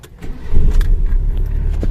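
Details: Mitsubishi Lancer "Hotdog" after battery replacement, sat several weeks, old battery drained: brief cranking, catches within half a second and settles to a steady, even idle; clean start.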